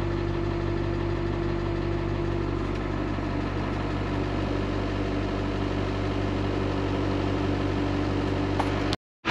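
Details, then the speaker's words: 2001 International 4700 diesel plow truck, 36,000 lb gross, 10-foot plow, bought at auction: steady, even diesel idle with smooth low rumble, no knocks or misses; running healthy. "So you can hear this truck, honestly not bad."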